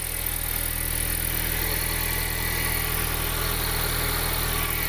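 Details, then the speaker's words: Turbocharged engine on a new base map with added fuel, first start: quiet, steady idle with a faint fast even tick about four per second; ticking at idle, owner suspects the exhaust. "yo everything looks fanc fantastic pretty quiet you hear a little ticking only but that might be the exhaust"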